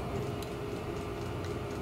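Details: Diesel heater on a 2-blade icon controller just after startup, glow plug power dropping away. Soft regular ticking about twice a second over a steady fan hum; the fuel pump is dosing normally: normal running.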